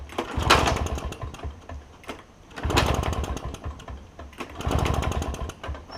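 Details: Toro push mower with a two-stroke Suzuki engine after the carburetor was cleaned: it surges and sags in waves about every two seconds, never holding steady. A blockage remains, a partially blocked carburetor main jet.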